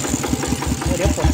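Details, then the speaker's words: Single-cylinder diesel on a steel-wheel rice-field tractor, fitted with a new loud exhaust pipe, idles steadily with loud even thumps about five a second, no surging or hunting. Normal idle. "ก็ลองเปลี่ยนท่อตัวนี้ดูเสียงมันดังนะครับท่อตัวนี้เสียงจะดังมากเลยนะครับ"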